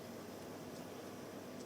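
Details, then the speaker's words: Moskvich 410 heater blower motor on bench power supply after repair (commutator cleaned, brush springs stretched, grease renewed) for sticking brush and weak speed; steady even whirr, airy rush, no squeal or scrape; normal running. "Коллектор почистил, пружинки немножко растянул, чтобы щётки лучше прилегали к коллектору ламылькам смазочку обновил, старую закоксованную смазку убрал. Вообще шикарно работает."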